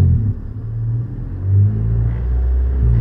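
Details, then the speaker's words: Honda CRX DX with DPFI, after intermittent light-throttle surging: idle then a little throttle, engine note swells smoothly with no hesitation or surge; the problem has fixed itself for now. "If I give it a little more, and then let off, there's idle, and then a little bit of throttle. And now see, it's decided to fix itself."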